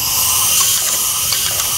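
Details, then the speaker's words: Solex carburetor from a VAZ 2121 with high fuel consumption, hard starting and frequent plug changes: loud steady hiss of about 8 atm compressed air blown through the jets with a sharp cone nozzle, pitch shifting as it flows freely. Jet passage clear. "это продувка жиклёров с помощью такого устройства здесь вот очень очень острый конус и он позволяет мне щель герметизировать спасите меняется звук то есть для меня канал чистый"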